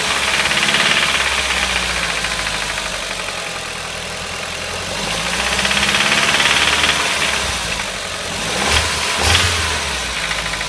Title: strange ticking noise - Audi TT Quattro 225 2003 1.8T